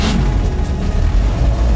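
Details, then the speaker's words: 1949 Chevrolet truck, 216 cubic inch Stovebolt six, started from the floor starter: a brief crank, then it catches at once and settles into a low, steady rumble. A clean, quick, healthy start. "As that 216 cubic inch Stow Volt 6 springs to life. Oh, we love these old trucks."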